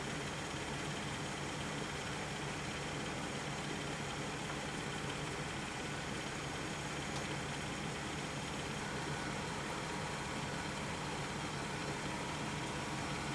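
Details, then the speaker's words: 1996 Chevrolet Suburban, engine idling while recharging an empty R134a AC system after vacuum, 2.5 cans added, pressures still low: steady, even whir with no squeal or knock; AC compressor running normally. "you can probably hear the compressor is running as it should now so I'm watching my pressure so they're still low"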